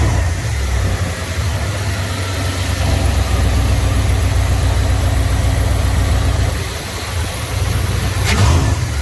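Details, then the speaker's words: Engine revved on a test after fitting a homemade double-barrel air intake with a NACA duct, still cold: deep, strong, very loud note that swells and settles with the throttle, steady firing with no knocks; taken to the limiter once; normal revving. "oh yeah that sounds awesome took her to limit her there once but she's still pretty cold"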